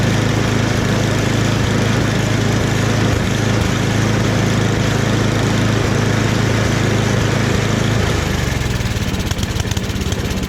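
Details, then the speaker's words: Rebuilt snowblower started again with the drive set to medium; the transmission works: a steady, even single-cylinder drone that settles lower near the end. Engine runs normally and sounds healthy. "I was expecting to have to do way more than that to get it running at the very least. But even the transmission works. Everything seems to work with it."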